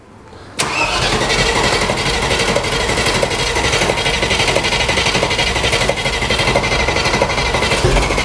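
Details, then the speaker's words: 30-year-old Range Rover Classic V8 started for the first time in 7 years after fuel sender work, firing almost first crank: brief crank, then catches cleanly into a steady, even idle with a light regular patter; loud, silencers off; normal start. "Go Beast sounds sick don't it that's loud though yeah it needs the silencers on bit"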